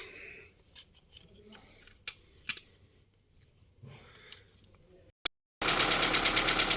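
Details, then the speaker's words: Daewoo Lanos after a fallen oil-gallery plug starving the hydraulic lifters was replaced: engine idles slightly quieter but quick, even metallic tapping persists from the top end; rocker arms found scored, camshaft to be checked. "ну власне отак після запуску стало трохи тихіше наче отут заглохли але тут тарабані треба скривать дивитись що там з роспредвалом з гідриками"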